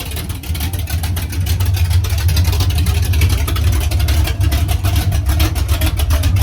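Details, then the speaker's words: "53" V8 race vehicle (Trash Can) after rebuild, idling after fixing a funky sound (bolts/washers on collectors, starter clocked as it seemed to stay engaged): deep lumpy steady burble, no rattle or metallic buzz; healthy. "No more funky sounds. I don't know if it was. I put bolts and washers on the collectors. I think they were just vibrating around"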